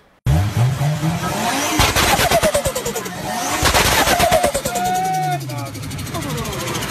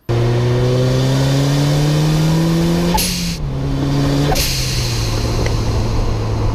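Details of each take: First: Turbocharged engine with compressor surge (turbo flutter): a fast fluttering chatter, about three pulses a second, with a brief whistle as the throttle shuts. Higher air pressure and reduced airflow make the compressor blades chop the air, stressing the turbo and shortening its life. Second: Turbo engine with a blow-off valve venting to atmosphere: revs climb, throttle snaps shut and a sharp hiss bursts out twice as boost vents cleanly.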